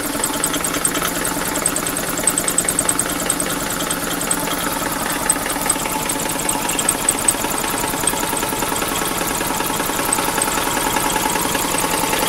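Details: 2000 Chevy Metro at idle: rough, regular deep metallic knock, after running low on oil and overheating from a bad coolant hose; compression 140/15/50/140 psi, owner suspects rod bearings on cylinders 2 and 3; engine knock.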